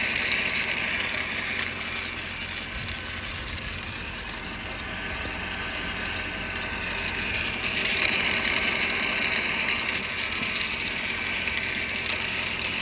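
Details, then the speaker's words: 2009 Mercedes SL550 R230 after converting the ABC pump to a standard power-steering pump, engine running: a high, dry chattering whir about four times a second from the belt drive. The source is a worn idler pulley bearing, not the pump. "all right so it's not the pump making that noise it's the idler pulley right there right there you can hear it now"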